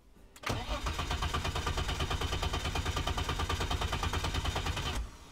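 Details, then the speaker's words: 1987 BMW E30 325i, first start attempt in a long time with new fuel. The starter churns about three beats a second for 4.5 seconds but never fires. The owner suspects a broken pulse sensor wire to the computer. "the only thing i'm worried about is that wire right there that goes it's the pulse monitor it goes from there into the computer somehow and i think if that's broken then maybe she won't start"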